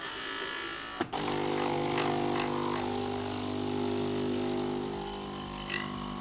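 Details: Philips LatteGo espresso machine after replacing four O-rings, startup heating then rinse: a click, then pump settles into a steady hum with faint buzz, no sputtering, water flows; normal startup rinse after repair.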